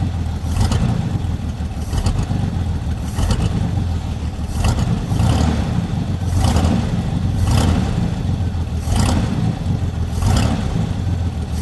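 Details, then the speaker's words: Chevy lowrider V8 at idle after unhooking a line to stop oil blowing out of the dipstick; deep, even rumble with faint soft puffs, no knock or misfire, very quiet and healthy. "H so quiet can you hear that thing Run"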